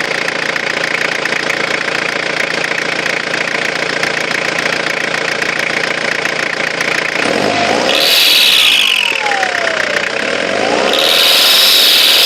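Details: Engine running under a bright high-pitched whistle that swoops up and down as revs change; faulty, excessively whining turbo.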